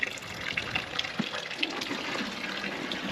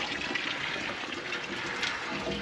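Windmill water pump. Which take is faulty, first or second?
second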